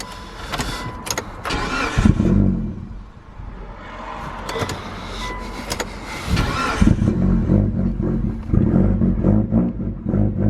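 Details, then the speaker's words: Mitsubishi Evo on first start after fitting intercooler piping and a blow-off valve: the engine catches and stumbles with surging rhythm. The engine management light logged intake air temperature and mass airflow faults because the MAF sensor plug was only halfway in. "Yeah, it's not liking that whatsoever."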